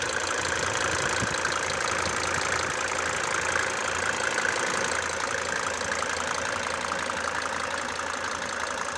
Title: OM 602 turbo diesel idle knocking sound #mercedes #mercedesbenz #w124 #om602